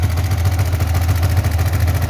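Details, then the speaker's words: Yamaha Vixion NVL single-cylinder at idle: fast, even valve-train tapping from a dry cylinder head with no oil reaching it, although the oil level and condition are good. A clogged oil filter was then found. "ada tanda-tanda oli ya tidak ada cipratan oli sama sekali jadi bagian head ini kering tidak terlumasi oli jadi suaranya berisik dari sini ya"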